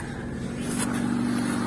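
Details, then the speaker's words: VAZ 2110 8-valve injector, previously no idle and no start without gas pedal; after replacing the idle air control valve, engine settles to steady idle, even low tone rising slightly and stable; normal idle. "ура завелась подняла обороты ну прелесть до"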